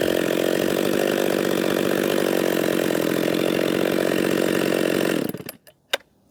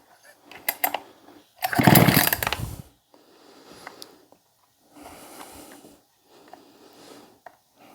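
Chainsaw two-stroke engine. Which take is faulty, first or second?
second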